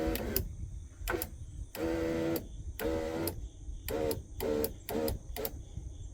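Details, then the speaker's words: 1997 Jeep Cherokee XJ at about 300,000 miles, new driver-side power window motor, regulator and switch just installed, door panel off: short bursts of smooth, even motor whirr, a little loud; owner calls it a success, normal operation. "okay we're going to claim success it seems a little loud but get that door panel back on it'll probably be fine"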